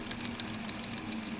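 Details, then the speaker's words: Cold Steel Hold Out III folding knife shaken by hand: quick, light, tinny clicks in bursts from a loose part rattling inside. It rattles even with the clip pressed and the knife held; source unknown. "Something's rattling in there, and that's a little bit of a con for me. I don't know what it is."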